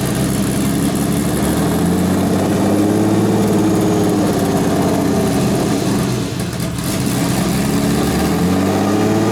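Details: Turbo BMW E36 (72mm KKK turbo, KDFI ECU) just started, cold: idle rises and sags unevenly; owner attributes idle surge to a vacuum leak, says it calms once warm; coolant low, suspected air bubble.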